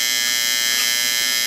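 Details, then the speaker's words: Late-1960s/early-1970s Sankyo Seiki mechanical digital rolling clock. The alarm buzzer never shuts itself off, so it must be manually reset. A loud, steady, high-pitched buzz with no pauses. Normal continuous alarm buzz. "No, it doesn't shut off. No, not no way, not no how, so. Okay. So it has to be manually reset."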